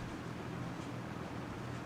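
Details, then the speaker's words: 1998 Lasko 3700 Ultra Force 20-inch box fan on low: soft, even whoosh of air with a faint low hum, no ticking or rattle; smooth, ultra-quiet normal running. "but it was low and there you go that nice ultra quiet blow that these fans are known to have"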